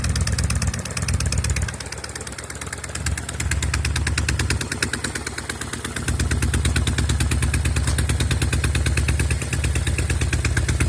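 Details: Norton Commando twin idling and revving with a lumpy, uneven pulse, missing beats on the left cylinder. Carbs, ignition, plugs and cables are ruled out, with no air leak at the manifolds or head gasket. The left side smokes on throttle-up.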